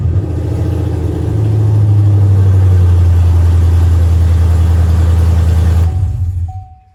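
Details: GM truck converted from V6 to V8, first start after the swap: a deep steady V8 rumble catches right away and holds an even beat before shutting down; no misfire or knock and no security light, running normally.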